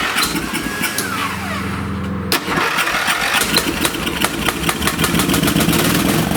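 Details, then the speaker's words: Old late-1980s–1990s lawn tractor engine, started on choke after a safety switch fix, cranks then catches raggedly and sputters roughly and dies. Carburetor flooding gas, so the needle valve and seat likely need replacing; a fuel valve problem probably existed before. "choke it up again and this thing looks like it's flooding gas in the carb so it looks like I'll have to replace the needle valve in seat"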